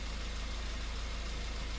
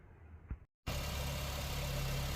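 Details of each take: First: Honda Fit with idle speed surging up and down at stops, vibration and engine noise: steady low thrum with regular pulsing shake; flow test shows two injectors losing pressure, causing rough idle. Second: Honda Fit, customer complaint of engine noise and idle rpm hunting at stops, after valve adjustment and injector replacement: even, steady low idle with no stumbling, shake or misfire pulses; normal idle.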